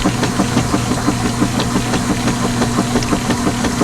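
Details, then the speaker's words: Direct-drive washer loaded with 10 towels on a hot wash: rhythmic thumps about three times a second over a steady motor hum, even and unforced, normal agitation. "some good clean washer sounds as opposed to something else that wasn't good clean fun that will be seen at some point in time indeed"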